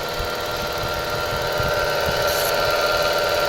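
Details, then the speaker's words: Mitsubishi Mirage with 26,000 km, noise came on suddenly while driving; idling petrol engine with a steady whining drone, loudest at the alternator: worn alternator bearing. "lang po kayo Saan malakas alternator alternator daw sabi ng kasama ko malakas"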